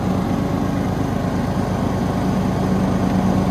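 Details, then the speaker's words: Craftsman/Husqvarna riding mower after blade engagement cable replacement: steady, even low engine thump at constant speed, no misfire, knock or grinding; running healthy, blades engage easily. "Oh yeah. We're working good now."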